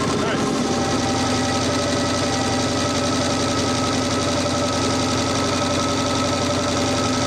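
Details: Audi Quattro race car with 4-turbo LS V8 swap and AWD, first start after an engine-hoist rebuild, warming up: steady even burble holding one speed, no knocks or misses; normal idle.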